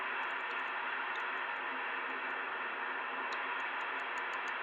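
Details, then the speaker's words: Two-metre band (144.000–145.990 MHz) receiver indoors with constant digital-sounding hiss and faint irregular clicks. No digital gateways are active and no on-band source explains it. "ise and it sounds like a digital noise now there's no digital gateways on at the moment there's nothing here on the Amer band that is causing this kind of noise"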